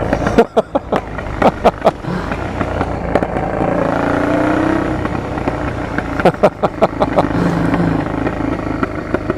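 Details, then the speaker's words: Honda Transalp PD06 with a new MIG exhaust: sharp, irregular pops and cracks between blips, and the revs hang one to two seconds before dropping. Owner suspects cracked, defective rubber intakes; not confirmed. "the intakes the rubber intakes are these two are uh defective now you can tell by first of all by the backfires take a look at the video"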